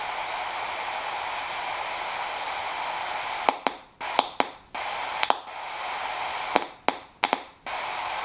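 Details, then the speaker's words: Cheap radio after fitting a new IC, temporary speaker wiring, powered from a power pack, RF turned up with no aerial connected: steady even hiss broken by a few sharp clicks, normal receiver static. "we've got the rf going up and we haven't got an aerial connected so that's really good"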